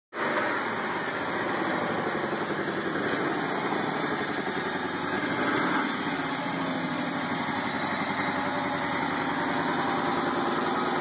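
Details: 1998 Ford Ranger 4.0 V6 automatic idling cold, rough and lumpy with uneven chuffing, from two dead cylinders and a third failing, before engine replacement.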